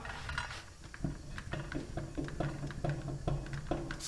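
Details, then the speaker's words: Dump trailer wheel gripped top and bottom and rocked by hand in a quiet shop: soft, uneven clunks about twice a second. This is play in a worn wheel bearing; brakes may also be needed. "i don't know if you can hear that or not so that's play in the bearing that's not good"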